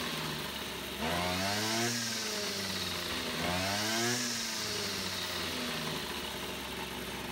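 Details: Small two-stroke brush cutter, after repair of a split fuel hose that had leaked fuel and stopped the engine mid-mowing, settles at idle then twice revs up cleanly and drops back smoothly; running healthy.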